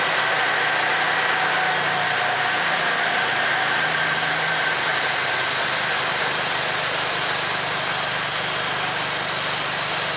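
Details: 2002 Toyota Tacoma with solid axle swap, first start after build: even steady idle with loud power steering pump whirring as steering is cycled left to right to bleed air; engine sounds healthy.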